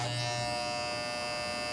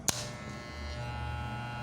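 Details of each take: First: Wahl Legend hair clipper running with a loud, harsh buzz and sharp rattling edge from a misadjusted cutting blade. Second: Wahl Legend clipper running after adjustment: steady, even hum with a low buzz and no rattle after a brief click at start. The earlier noise came from a loose small part that was refitted.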